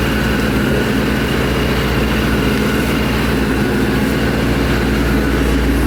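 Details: 2011 Mustang GT V8 with newly installed Paxton Novi 2200 SL supercharger on a base tune, first startup: even steady idle, deep smooth burble, faint constant supercharger whine, no knocks or stumbles; super healthy.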